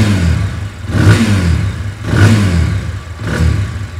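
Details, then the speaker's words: TVS Apache 180 BS6, 22,000 km, after repair including head gasket replacement: engine blipped about once a second, revs rise and fall cleanly with a smooth, even note, no knocks or rattles; sounds like new, normal running. "सुनो मतलब भाई नई गाड़ी होती brand new गाड़ी बिल्कुल same ditto वैसा ही sound इसमें निकल के आया है और ऐसा ही गाड़ी का साउंड होना चाहिए"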